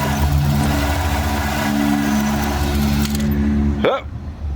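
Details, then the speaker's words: 2001 Chevy Monte Carlo 3.8L with random stalling, stumbling and jerking: engine runs fairly evenly, then stumbles and sags when the coil is tapped; faulty ignition module intermittently dropping spark, to be replaced, coils to be tested. "all right well there's our culprit we're gonna go ahead and replace the ignition module"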